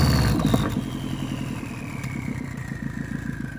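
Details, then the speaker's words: JDM EJ20 turbocharged boxer engine in WRX kit car swap, oil to be flushed several times: steady low burble with a fading whistle, no knocks or misses, no smoke now, running well. "right now there's no smoke blowing out of it everything seems to be working pretty good"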